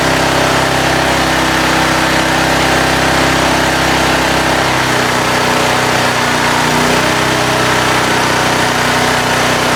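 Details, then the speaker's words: Titan industrial generator, about 20 years old, unrun for six to eight months in a barn, running with air cleaner (breather) removed: loud, raspy, even running with harsh hiss, easing slightly partway; loud intake noise. "I'm going to put the breather and all back on. I'm going to be a lot quieter."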